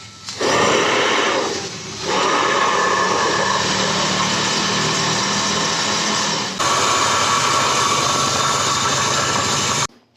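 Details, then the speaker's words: Hair dryer that blew only cold air, after repairing the broken heating filament coil: steady fan rush with even airflow hiss and one brief dip; now heats and runs normally. "Ayan guys Ayun Gumana guys uminit uminit uminit guys gumana guys gumana mainit na"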